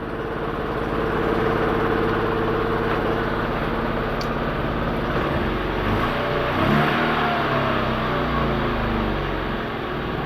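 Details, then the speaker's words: Daewoo Lanos with LPG system, just started after correcting crossed spark plug leads: lumpy, uneven idle shaking the door mirror; misfire, a failed ignition coil dropping two cylinders. "тось його щось ковбасить цього двигуна О видно по дверці по дзеркалу видно як"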